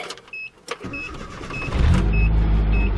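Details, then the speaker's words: Nissan D21 Hardbody pickup, first crank after replacing the starter, clutch held down: brief crank, engine catches at once and settles to a steady rumble under a repeating chime; new starter works, no check engine light. "Okay, so this is the first time that I'm going to try to crank it up with the new starter in the vehicle, and we'll see what happens."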